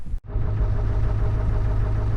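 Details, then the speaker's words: Chevy/GMC Duramax diesel truck in cold weather with a slight charging issue and drained batteries, just started after charging. Oil pressure rises to 80, and it settles into a steady, deep, even idle with no knocks or misses; alternator and engine sound good. "Oil pressure's doing good now, guys. Whew. Oh my God. That seemed like it took forever. Alternator's doing good. Engine sounds good."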